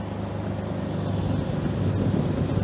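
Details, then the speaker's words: Jeep TJ idling after 15 years sitting and new alternator/belt: steady low idle with a faint light tick, typical of these engines; little smoke, alternator charging 14.25 V. "little bit of a tick, but that's sort of these engines."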